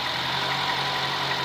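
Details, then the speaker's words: Nissan Sentra first startup after head gasket job, water pump and alternator not connected, run briefly: smooth even idle with light steady hum and airy hiss, no knocks or misfires; runs sweet and quiet. "oo look at that very first time it sounds really good too super [Music] smooth nice and"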